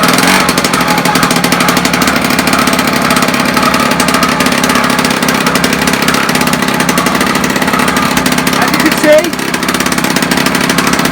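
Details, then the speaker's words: 1976 Puch Maxi moped two-stroke under restoration, previously throwing out fuel, exhaust pointed out of the shed; crisp, fast buzz holding a steady, even beat without stumbling or surging; running quite well, back wind baffled. "running quite well now the back wind is baffled"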